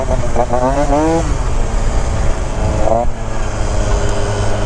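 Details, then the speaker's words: Yamaha Zuma bug eye scooter, freshly built engine with C16 pipe, tune spot on: crisp two-stroke buzz climbing cleanly in pitch as throttle opens, no bogging or misfire over road noise; healthy under load. "I never thought a bug eye felt this good. I built like 4 or 5 bug eyes now, and none of them have felt this good. This one with the C16, I think it's the pipe. It just picks it up just right, and it has the power to bring it back up when it's coming down."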